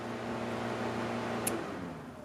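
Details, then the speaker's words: Honda CRX with B16A engine: the radiator fan lead is plugged into its clip and the key turned to accessory, giving a steady, even whir over a low hum with no rattle. The fan switches on and runs smoothly. "what you can do is turn on the card to full accessory and you could hear the fan turn on"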